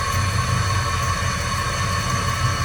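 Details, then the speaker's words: 20in wood-to-metal bandsaw converted to a 10:1 worm gear driven by a VFD motor, run very slow (about 145 rpm), spinning in the wrong direction: steady gear whine with an uneven low throb as the shaft-supported motor rocks; bent shaft wobble. "slow enough, it won't hurt anything, but something's definitely not good there. The whole motor's moving around. It's all supported off of that shaft."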